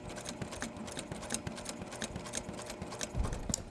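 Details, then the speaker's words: Sewing machine doing a quick stitch on a Halloween wallhanger quilt: steady stitching with a dull thunk on each needle stroke over the motor hum; needle tip probably slightly bent, time to change the needle. "hear that thunking noise you hear the thking noise that is my needle probably the tip is slightly"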